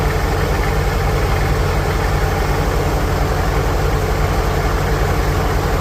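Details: 1946 International Harvester Farmall H, in neutral after a pushrod replacement and deep cleaning, with a low battery: steady, even low thump at about 220 firing pulses a minute with no misses or knocks; normal, healthy idle.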